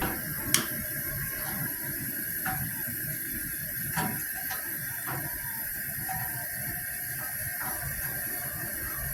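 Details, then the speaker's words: Three-burner Coleman 426D camp stove after cleaning the leather pump cup: all three burners lit and pumped to pressure, giving an even continuous hissing roar with no sputter or popping; normal burner operation, generator may need replacing sometime. "we got all three burners going using more fuel now aren't we"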